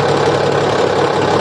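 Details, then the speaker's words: Komatsu SAA6D140E-5 six-cylinder diesel after engine work including injector gasket replacement, first start, slow to crank then running; deep, even low-idle clatter, no misses or stumbles, described as normal for this engine. Normal idle. "dengerin suaranya nih suara mesin loidel untuk 140 memang begini"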